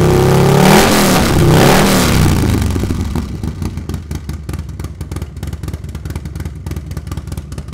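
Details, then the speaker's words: New S&S 136-inch crate engine with 550 cam in a Milwaukee-Eight Harley-Davidson, first start after priming and confirming oil pressure: revs then lumpy loping idle with even firing pulses; runs healthy, needs a little fine tuning. "it seems to run good probably needs a little fine tuning uh but it sounds healthy sounds like going to make some power"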